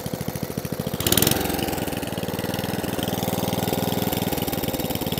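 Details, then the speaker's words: 2003 Atco Balmoral 14 ES electric-start cylinder mower with a Tecumseh engine running with a steady single-cylinder beat and no misses; it runs nice but needs new belts. "definitely definitely new belts but apart from that yeah she runs nice"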